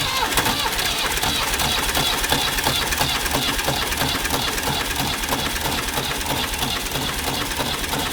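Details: Ford 555 backhoe diesel that sat unused for years, with heavy crankcase blow-by: steady cranking at about three beats a second with fuel on and partial firing that never catches. Cranks but won't start; bad piston rings suspected.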